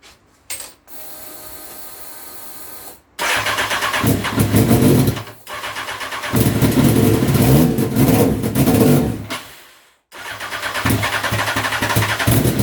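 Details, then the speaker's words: Honda CBR929RR SC44 turbo build, first start attempts with fuel added incrementally: starter cranks, engine catches in ragged revving bursts, then dies; flooding, suspected from oversized 600 injectors. "so I've tried a few more times starting to flood it a little bit so I think the injectors I've gotten a 600 or where we're waiting big"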